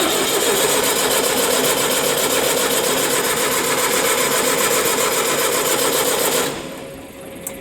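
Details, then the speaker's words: Onan 30kW diesel generator, 4-cylinder Ford diesel, ex-hospital backup, unrun for days, first start attempt after priming injector pump: steady cranking about four turns a second, never catches; air in fuel system needing more bleeding. "okay so i guess it needs to be bled a little bit more yeah see you can see all the air coming out"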